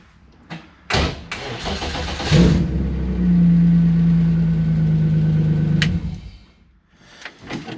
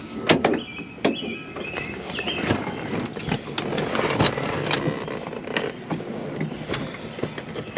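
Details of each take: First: Early-1990s BMW E36 325is, sat about seven months, running its own red-label 413 DME before ECU swap testing: short crank, catches first try and settles into steady smooth idle. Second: BMW E36 crank no start after swapping in a tested-good ECU: several seconds of uneven cranking churn, never catches or fires; cause still unfound.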